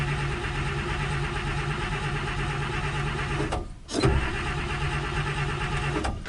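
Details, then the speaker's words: 1956 Buick with 322 Nailhead V8, barn find first start attempt: steady droning crank but never fires, pauses and cranks again; carburetor not squirting fuel, owner suspects empty or clogged tank or fuel pump not picking up, or no spark. "Yeah, it sounds like we're not getting spark. Alright, must not be any gas in the tank, or it might be clogged or something, because that fuel pump's not picking up anything."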